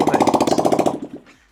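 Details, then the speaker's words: Yamaha R125 in neutral, started after an oil change with a freshly charged battery and the exhaust removed: loud, hollow, bubbly popping at about twelve beats a second that slows and dies away; the bike starts fine. "I forgot we didn't have the exhaust on, so now it sounds like bubbles. But obviously that's now the bike starts, which is great."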